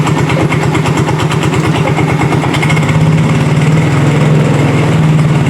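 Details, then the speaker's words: Yamaha Mio J automatic scooter at idle: rough, rattly chatter pulsing about three times a second, fading as the throttle is opened slowly and returning afterwards; possibly a worn connecting rod. "kalau kita tarik gasnya perlahan, idle-nya, dia suaranya semakin lama semakin hilang ya. Jadi timbul lagi, kita tarik gas lagi. Nah, timbul suara lagi ya."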